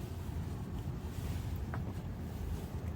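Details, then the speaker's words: 2006 Honda Accord 2.4L after replacing driver-side front upper control arm (worn bushings), driven 15 minutes: turning the steering wheel gives only low rumble and wind, no more suspension creaking. "and I cannot hear any more creaking so that must have been the root cause of all that noise and just awful sound coming from the suspension"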